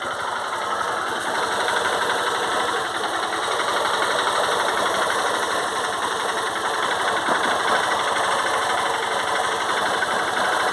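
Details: 2008 Honda Titan 150 carbureted single-cylinder idling and revved, light uneven tapping about four per second over the engine note; owner suspects the cam chain, not confirmed.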